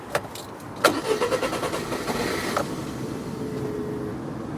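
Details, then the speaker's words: Rover 25 with K-series engine, started on a jump pack, the battery being only at 44%: a few hesitant turns, then a sputtering catch into rough idle. Hard starting, with a sensor suspected of giving wrong information. "ah see as suspected something isn't quite giving it the correct information"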